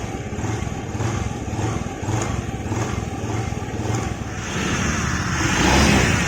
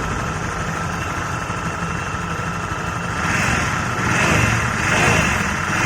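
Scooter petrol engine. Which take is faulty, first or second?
second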